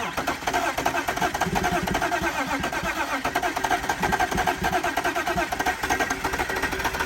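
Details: BMW E46 engine after an engine fire, oil still holding antifreeze sludge, cranked on battery: even, free starter cranking with steady compression pulses, no firing; not locked up, cranks but won't start, smoke seen.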